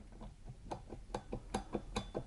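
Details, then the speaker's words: Treadle sewing machine foot drive: light sharp knocks about five times a second from a worn, loose lower pitman rod ball joint, resonating through the cabinet. "что рекомендуют делать в том случае если подножка начинает стучать о стучит она примерно вот так вот вот смотрим сюда"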